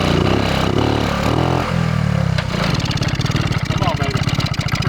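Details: 1979 Honda Trail 90 (CT90, 90cc four-speed) barn find, gas in tank: ragged cranking and coughing before catching into a quick uneven single-cylinder putter; carburetor needs work, hard starting.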